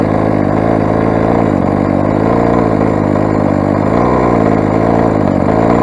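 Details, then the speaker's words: Rovan 45cc big-bore Chinese two-stroke, first run with modified exhaust header and stock carb: harsh, buzzy, uneven crackly running that never smooths out; sounds poorly, owner blames carb settings being way out, running lean. "if you ability test the Chinese engine it does sound quite poorly now say"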